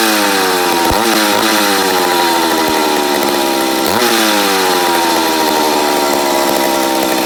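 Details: McCulloch Pro Mac 850 chainsaw, first start after rebuild, fuel/air being adjusted: high screaming two-stroke whose revs wander and dip instead of settling, surging; owner suspects an air leak on the flywheel side.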